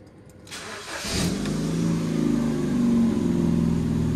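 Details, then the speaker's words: At idle: loud, rough, rapid chuffing roar far too harsh for a healthy engine; serious exhaust leak blowing at the rear. "That ain't no sports car exhaust. That's got a serious exhaust blowing at the back."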